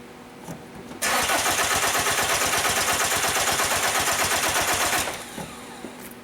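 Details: 2002 VW Jetta 1.9L TDI ALH diesel: starter spins the engine steadily for about four seconds with even compression beats but it never fires; crank no-start.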